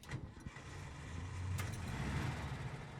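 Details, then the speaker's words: 1961 Volkswagen 23-window Microbus Deluxe with a 6-volt system, cold start in neutral: brief cranking, then the engine catches on the first try and settles into a low, even idle; a healthy cold start. "turns over on the first try sounds good you can hear that nice idle"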